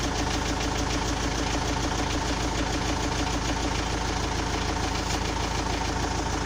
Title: Непонятный стук в двигателе